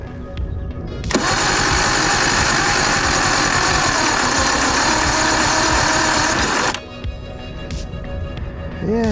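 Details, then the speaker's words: Circa 1989 Evinrude 150hp two-stroke outboard, hard-start complaint, frosty morning, after tightening loose battery cable: labored cranking for about five seconds at roughly three to four turns a second, too slow to fire; slow cranking. "cuz that definitely is not going to spin fast enough for for uh like we put the plugs in it it's not going to spin fast enough"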